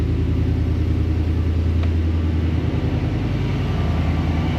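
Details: 2020 GMC Sierra Denali 6.2 V8 after replacing the idler pulley and stretch belt: smooth, even low idle burble with the earlier terrible belt-drive whine gone, even when revved; the accessory drive sounds normal.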